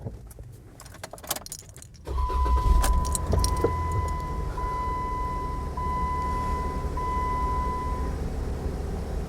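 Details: 2015 Jeep Wrangler Sahara started right after a new Duralast Platinum AGM battery was installed: after some rattling it catches at about two seconds and settles to a smooth, even idle. Clean start, engine healthy.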